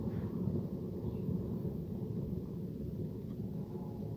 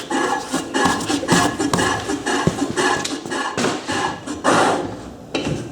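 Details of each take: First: Trailer drum-brake rebuild, new hub fitted, nut slightly loose between castellations: the hand-spun hub gives a dull, gritty low rumble that drones on; the wheel bearings are worn and need replacing, first mistaken for drum scuffing. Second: Llama trailer hydraulic drum brake after rebuild, previously inoperative: freely spun wheel gives uneven scraping rubs and knocks, then slows and stops as the brake grabs firmly and cleanly; brake working normally.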